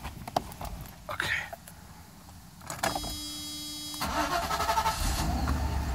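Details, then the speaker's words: Faulty SL500 E-gas throttle module (clutch circuit failed) fitted to a 500SEL V8 test car. A warning light is on, the engine starts at about 1700 rpm and stays high, then goes into limp mode stuck near 1000 rpm with no throttle response. "right away is our light is illuminated and also you haven't seen rpms go up to like 1700 as a as a start rpms and then as you can see they lower down but they're still high"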